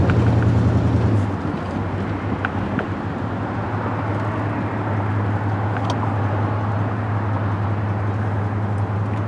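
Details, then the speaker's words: 1968 Cadillac DeVille V8 on a road test after installing a new 750 CFM Edelbrock 1411 carburetor in place of a problem Amazon carb: deep, even rumble pulling cleanly as revs rise, no stumble, miss or flat spot; normal running under acceleration. "I think this thing just completely transformed the car it's um I think real nice it revs progressively uh it gets up and goes when you need it to"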